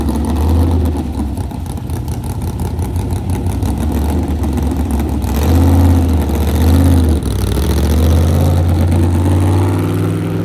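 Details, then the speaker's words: Carbureted car on its first drive after full reassembly, having sat months during bodywork: deep rumble bogs and hesitates as revs climb, making it hard to rev; a bad lean stumble in the carburetors' primary-to-secondary transition. "The um transition between primary and secondary, if you understand carburetors, uh it was a very bad lean stumble."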